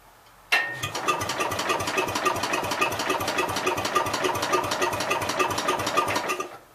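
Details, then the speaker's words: 1966 Gravely C10 with under-flywheel coil, no spark at all (trouble after washing it a year or so ago): starter spins engine at steady three or four beats a second with no firing; cranks but won't start. "That's weird, guys. There's no spark at all, but I was having trouble with it a year or so ago."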